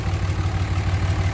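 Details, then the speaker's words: 2006 Dodge 2500 Cummins diesel 4x4, rich fuel-smelling exhaust: deep idle with an uneven, lumpy pulse skipping every few beats; a rough idle misfire, owner suspects a failed injector. "it smells like fuel so what i'm guessing is going on with this truck is it's got a failed injector"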